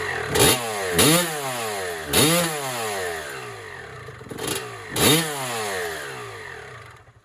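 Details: 1996 Honda CR250 two-stroke, carburetor rebuilt and returned to stock with 52 main jet, first start: crisp raspy blips, five quick revs climbing and falling cleanly back to idle, no bogging or misfire. Normal healthy two-stroke running.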